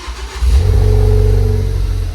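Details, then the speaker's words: Ford Focus ST-3, crash-damaged repairable salvage car under repair, being started and revved: engine picks up cleanly into a deep, smooth rev and settles back, no rattles or blowing; sounds lovely, healthy engine. "Oh yeah. Wow, that sounds lovely. Really nice."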